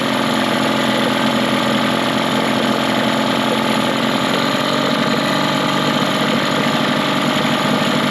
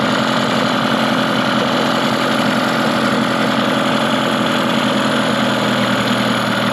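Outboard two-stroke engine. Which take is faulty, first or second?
second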